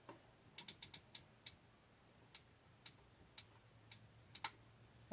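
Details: Whirlpool WTW4816FW1 top-load washer after replacing splutch, sensor switch and lid lock switch, during recalibration/test mode with no water: uneven dry clicks and no agitation or motor drive; stalled. Cause unknown, owner wonders about tub bearing.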